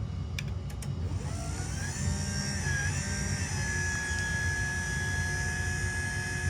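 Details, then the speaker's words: LiftMaster 87504-267 garage door opener from 2021, non-MC, that once sounded like a coffee grinder, now restored with factory-revised foam added: a low, smooth motor hum with a faint steady whir and no rattles or clunks; normal, super quiet operation. "So, there you have it. The re- revised/restored 87504 from 2021 non MC super quiet now."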